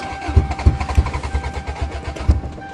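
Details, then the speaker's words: Toyota GTS cold start in snowy December, no exhaust/back pressure: even cranking pulses about four a second, turning freely but never firing; cranks, no start, cause unconfirmed. "I don't believe it. This is going to be two Toyotas that don't work?"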